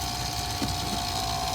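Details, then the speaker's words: 1976 Cadillac Eldorado convertible scissor-top pump motor powered directly from a portable charger, bypassing the relay: smooth steady electric whine over an even pump hum, no stalling or grinding; the motor works, so the relay is the fault. "top the top moved so it's the motor's working fine it's uh the relay that's the problem"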